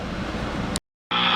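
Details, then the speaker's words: 1942 Emerson FU427 portable tube radio at 120 volts on power-up: steady speaker hiss dropping out and returning louder; distorted at higher volume, bad coupling capacitor suspected. "all right i'm up to 120 volts and as you can hear there's noise from the speaker"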